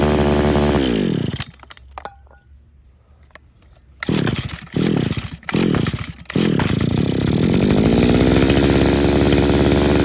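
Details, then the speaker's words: RedMax HEZ260F commercial edger two-stroke bogs and stalls under throttle, sputtering in short bursts before running again; owner suspects a clogged carburetor jet and is dosing in cleaner, with Sea Foam added to the fuel. "he kills it pretty quick"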